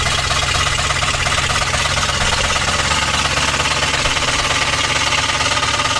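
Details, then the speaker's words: 1964 Impala V8 that sat about 40 years, running on poured-in fuel: heavy, fast, uneven knock over rough running; suspected rod knock or flex plate, possibly underneath the car rather than the bottom end, not confirmed. "It sounds like a rod knock or something with the flex plate. I'm not sure."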